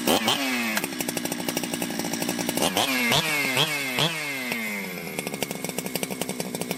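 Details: Ported Jonsered 2071 chainsaw after rework; it had run poorly, like an air leak with a hot case, but no air leaks were found and the crank was re-tightened. Sharp throttle blips rise and fall fast, then drop to a crackling, uneven idle: normal running.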